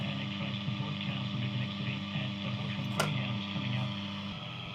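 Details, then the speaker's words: Healing 400J clock radio after capacitor replacement and a resistor swap, probably still needing alignment: steady low buzzing hum under radio sound throughout; heavy mains hum, cause not found, owner wonders if the clock is involved. "sounds really rubbish. There's so much hum on it."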